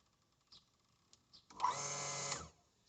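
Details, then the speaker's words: Hitachi water pump after replacing the faulty pressure cylinder with a Mitsubishi part, tap opened slightly: pump starts with buzzing whir, runs briefly and cuts out cleanly; less flow gives longer cut-off, normal pressure-switch cycling. "ยิ่งเปิดน้อยก็ยิ่งตัดนานเห็นมั้ยครับมันจะตัดนานกว่าเดิม"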